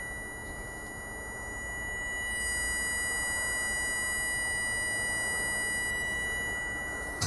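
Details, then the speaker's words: Common-rail fuel pressure regulator solenoid on a P0088 (pressure too high) fault, driven from a bench supply starting at 56% and raised. The coil gives a thin, steady high whine, so it works electrically; whether the valve opens remains unverified. Normal solenoid coil whine. "no i przy tej regulacji słychać że ta cewka piszczy czyli wiemy że on działa"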